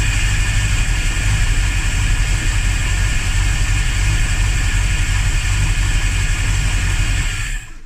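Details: Engine cranks about eight seconds, continuous and uneven at a steady pace, never catching: hard start although fuel pressure is good; owner suspects spark or timing. Cause suspected, not confirmed.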